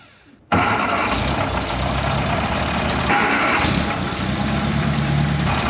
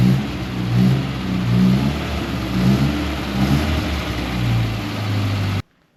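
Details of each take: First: 1961 Mk1 MG Midget roadster, first start after 54 years sitting, clean carburetor: cranks and catches abruptly, then loud, ragged uneven idle with a raspy, very bad exhaust leak before dying on its own; oil pressure uncertain. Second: 1961 Mk1 MG Midget roadster, 63 years old and sat 54 years, running on its intake: smooth, even running with gentle rev rises and clean return to idle before shutdown; sounds healthy.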